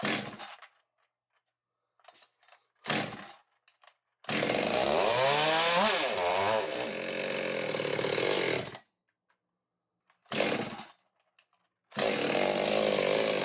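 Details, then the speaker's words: Echo chainsaw hybrid with a 56 mm, 93cc cylinder on a 60cc chassis and a 620 carb: short rev bursts that die away, surging and hunting instead of a steady rev; rough running, air leak suspected at a thin crankcase spot. "well I fiddled with it a little more it's still acting up so we're not gonna do the dino runs today and try and get it all figured out pretty sure it's got air leak"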